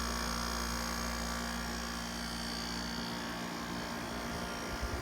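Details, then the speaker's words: 1989 Panasonic 5000 BTU window air conditioner, out of its chassis: running with a good charge, initial frost melted, about 50 degrees, pressures quieted. Constant low rotary buzz with steady airflow hiss that never goes away. Normal rotary compressor buzz. "so running with a good charge yet the pressures quieted down a little bit still has that difficult kind of rotary buzz never goes away"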